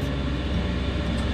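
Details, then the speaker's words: Newly installed 5kW Chinese diesel air heater in a Vauxhall Vivaro camper, with an inline fuel filter before the pump: a steady, low burner-fan hum, even with no surging or coughing, producing hot air. Normal running. "okay so that's there that's working nicely everything's where it needs to be and the heater is producing lovely hot air and i'm pretty chuffed"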